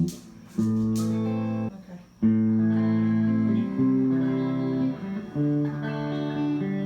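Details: Fender Blues Deluxe hybrid tube amp, brought in for a power issue, after repair and a new Tung-Sol 12AX7, out of standby with the volume up: clean guitar notes and chords ring out evenly with no crackle, hum or dropouts. Normal output.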